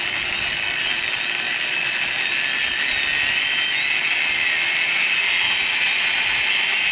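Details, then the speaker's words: Flywing FW450 V3 RC helicopter bought with problems, spooled up: high shrill whine climbing in pitch with a gritty gear-like edge from the tail; owner suspects gear noise or the tail motor, cause unknown. "okay guys I got a little noise out of the tail I'm gonna try to get it in the camera here"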